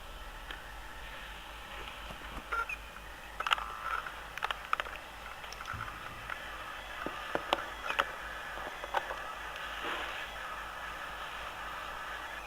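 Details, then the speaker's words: Electronic thermometer making irregular faint clicks and short high chirps over several seconds in a quiet room, heard close up; intermittent clicking and chirping, cause unknown. "Avviciniamo così siamo sicuri se si sente gli strani rumori che fa il termometro elettronico."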